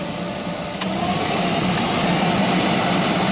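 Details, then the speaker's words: Loud, steady airy hum with faint whine from the GAZelle (Gazel) heater blower motor, tested at speeds 1, 2 and 3; noisy blower suspected to have worn bushings, to be removed, cleaned and lubricated. "вот сейчас мы послушаем 1 скорость вторая скорость 3 sport это громко низкая может быть у газели так оно и есть"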